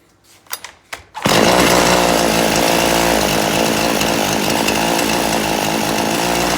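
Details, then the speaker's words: Poulan Pro chainsaw after richening the low-speed screw, held at wide open throttle while the high-speed screw is adjusted: rough note sags slightly then cleans up into a steady high scream as bogging stops. "I'm going to crank this up and you going to see me turning this and I'm going to be giving it gas until it stops"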